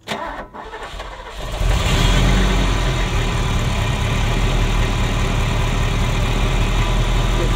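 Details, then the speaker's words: Ferrari Mondial V8 starting: starter cranks, engine catches roughly with a kick as if trying to run backwards, then an uneven idle; timing out, popping, misfire on cylinders 5-8; owner suspects a sensor, unconfirmed. "When it starts, it shouldn't do that. That's when it's trying to run backwards."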